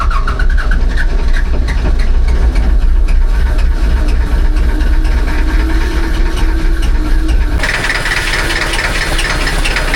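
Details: Diesel amphibious ATV, about 70°F; heavy low clatter that struggles and surges trying to catch and settle, hard starting, cause not known.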